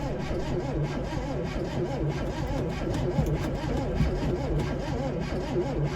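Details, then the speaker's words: 1971 Chevy Nova being revived, cranking attempt: starter turns engine over at even, steady rhythm, never catches; still no spark reaching cylinders. "Okay, guys. We still don't have spark."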